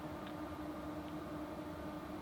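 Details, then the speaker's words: EcoFlow Delta Pro power station cooling fan inside a stealth Dodge Caravan camper overnight: soft steady hum at one pitch over distant traffic, no rattle or wobble; fan runs quietly and normally. "You can hear the fan on it. It was nice and quiet. Nice and quiet overnight."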